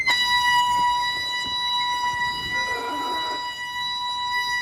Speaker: Oof. Doesn't sound very good. There are a few things that could contribute to this noise, but usually it's debris that gets stuck in the pads or contamination on the pads or rotor.